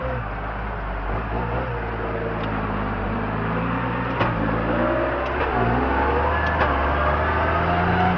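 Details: Case MX110 tractor carting silage on the 2nd cut, 2012: steady diesel drone with a light tapping about three to four times a second riding on it; abnormal engine noise, cause unclear.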